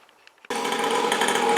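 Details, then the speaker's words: Cheap kids' motocross bike, cold engine on choke after restoration: small engine buzzes at a high, fairly steady tickover; cold idle sounds even and healthy. "anyway as you can hear I've got this little bike ticking over it's un choke at a minute I think it will die if I take it off choke"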